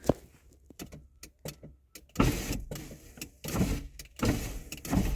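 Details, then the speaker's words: 1989 Chrysler LeBaron GTC 2.2L Turbo II, sitting 17 years, on low battery voltage: window motor whirs in short jerky stop-start bursts rather than a smooth run; owner suspects insufficient battery voltage. "yeah, there's something funky going on at that. Other window doesn't want to do it."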